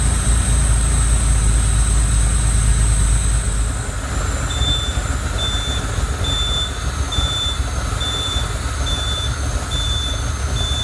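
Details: Lamborghini Countach LP400S replica, first start in at least three years after a rebuilt fuel system: steady deep engine rumble without knocks or misses, reversing beeps behind; noticeable smoke, possibly from sitting or oil. Normal running after start.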